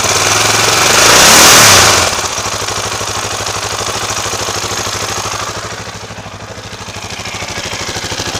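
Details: 2004 KTM LC4 640 single, 11,000 km, Akrapovic slip-on, at 60°C oil temperature without choke: sharp rev then even steady thump at warm idle, no distinct knock or rattle; condition unknown.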